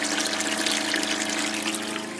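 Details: Solar-shed water pump fed from battery via new MPPT charge controller, repaired and switched on with a bit of hose fitted: small motor hums steadily with splashing, trickling water, no labouring or stalling, no fuses blown; normal pump running.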